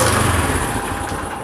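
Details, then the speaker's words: Honda motorcycle (CD70-type) that keeps stalling while riding: slow, lumpy single-cylinder idle with uneven pulses that sag; idle speed set far too low, should be at least 1200 rpm, fix is raising the idle screw. "देखें तो यह देखें इसकी idol speed काफी ज्यादा कम की हुई है मतलब बहुत कम है"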